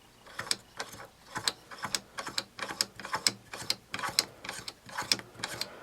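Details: Tecumseh starter 33290E with a stuck, rusty bendix, cleaned with solvent and compressed air and refitted to the engine, spark plug removed so it cranks without starting: crisp ratcheting clicks about once a second as the drive winds and snaps back freely; normal bendix action.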